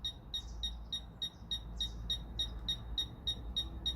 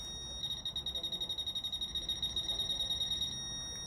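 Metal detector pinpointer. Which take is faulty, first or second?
second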